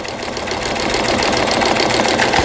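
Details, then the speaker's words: Brother 847 computer sewing machine, made in Japan, 220V, after repair; pattern 00 centre-position straight stitch, fast even whir at steady speed, no knocking or catching; sewing normally. "다시 꺼버리고 00으로 출발해서 직선 바느질. 뭐니 해도 박음질이 잘 돼야 되는 거 아니겠어요? 가운데 포지션으로 박음질이 돼서 나옵니다."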